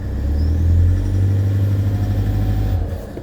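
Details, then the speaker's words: Toyota Prado D4D common-rail diesel on a chilly morning, previously knocking loudly after several sets of reconditioned injectors: deep even rumble rising and falling with revs, slight clatter, no heavy knock; now sounds normal. "had a couple of sets of Reco injectors put [Music] in listening sounds like a nor one to me"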